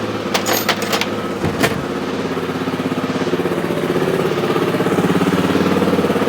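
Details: 2003 Honda XR400 brought in not running, after valve clearance and cam timing checks, started after 365 kicks with idle turned down: a few clanks at first, then an even thumping single-cylinder idle that holds steady; runs well, normal idle.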